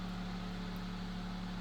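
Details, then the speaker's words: Vintage Knapp Monarch Jack Frost 8-inch single-speed table fan, circa late 1940s to early 1950s: steady motor hum with a rhythmic low throb each blade turn; out-of-balance blade causes vibration, though the fan doesn't walk. "so it's definitely makes a vibration noise but it doesn't really dance across the table or anything like that it just a tad bit noisy"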